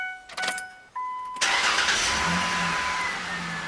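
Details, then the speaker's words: 2001 Mazda B4000 (Ford Ranger) after idler pulley replacement: chimes, short crank and clean catch into a steady, quiet idle with no belt squeal or chirp, no check engine light; healthy start. "Well, that sounds better. No check engine lights on. Everything seems to be running true and straight and quiet."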